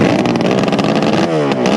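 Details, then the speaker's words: Kawasaki S1 550 four-cylinder motorcycle engine, first startup at a friend's house: loud, crisp exhaust note revving up and down cleanly, firing evenly with no misfires or clatter; normal running. "i thought i'd put a little clip of the previous video with the first startup at my friend henry's house it was so loud and the mesmerizing sound is ringing in my ears even today"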